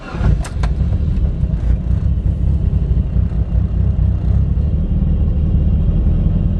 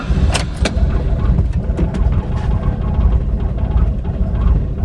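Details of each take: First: Mitsubishi Lancer Evolution IX, fully cold start after a repair that bypasses a resistor: quick crank, then an even, steady low idle with no stumble. Previously it hunted and nearly died until warm; now a normal cold idle. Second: Mitsubishi Lancer Evolution IX on a cold start: lumpy, uneven idle with irregular thumps and sagging beats, stumbling and nearly dying; it runs fine once warm, and the owner first suspected the tune.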